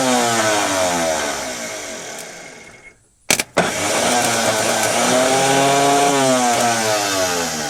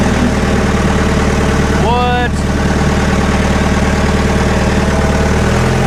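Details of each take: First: Scrapyard diesel forklift with a possibly low battery: starter whirs up and winds down freely without cranking the engine, then a brief clunk and another free spin after hammering; starter drive (Bendix) not engaging, starter possibly faulty. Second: Scrap-bound diesel forklift revived for a machine shop, driving in gear: steady, even low diesel drone with no knocking, misfire or surging; it runs well, though the brakes are slightly spongy.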